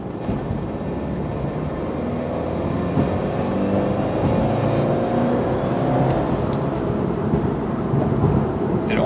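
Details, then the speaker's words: Subaru turbo at a little under 30 mph in third gear, accelerating from low rpm: rough, droning moan rising as the turbo starts to spool; unidentified noise, cause unknown. "this is the noise right before my turbo starts to spool or as its spooling that I can't figure out"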